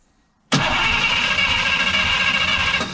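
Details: 1951 Oldsmobile 88 parts car, warmed up, compression test with one spark plug out: quiet, then the starter spins the engine steadily at a few beats per second with a bright whir, not firing; that cylinder rose from 110 to 170 psi.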